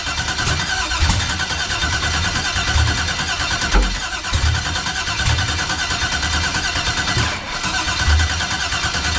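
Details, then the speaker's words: 1989 Box Chevy, cranking with a new starter, a new external fuel pressure regulator and fuel pressure built up, after the two outside cam-sensor wires were swapped: steady grinding crank with compression pulses, acts like it wants to fire but won't start. "All right, once again, man, she act like she want to do it, then she just don't."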